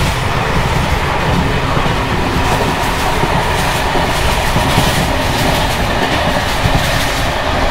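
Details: Bd264 481 coach (built 1979), Görlitz V bogies with many kilometres since last major maintenance, evening express on uneven line 190 near Hluboká nad Vltavou–Číčenice, heard from compartment or open window: loud busy rattling and clatter over rail rumble and wheel clicks; worn brake rigging bouncing.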